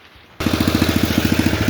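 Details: Vintage Sears Craftsman snowblower with Tecumseh engine, fresh fuel and cleaned spark plug, after a new chain master link and a gear lever adjustment; catches at once and settles into a quick, even putter of about fourteen firings a second; healthy idle.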